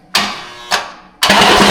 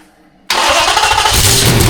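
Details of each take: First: 6.4L Hemi-swapped Jeep Grand Wagoneer with Holley Terminator X, first start after priming: three harsh metallic bangs on cranking, then loud grinding clatter. Flywheel hitting bell housing or windage tray suspected; the starter was actually striking a bolt. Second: Jeep Grand Wagoneer with a swapped 6.4L Hemi, Holley Terminator X ECU and new custom stainless exhaust, at first fire-up: it catches almost at once into a loud, steady, open idle with no misses, about 70 psi oil pressure, and is loud from the exhaust.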